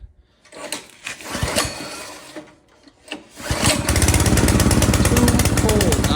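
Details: Brand-new Harbor Freight Predator engine just swapped onto a rear tine tiller, first start with closed choke: a couple of cord pulls, then it catches and settles into a steady, even putter with no misses; running healthy.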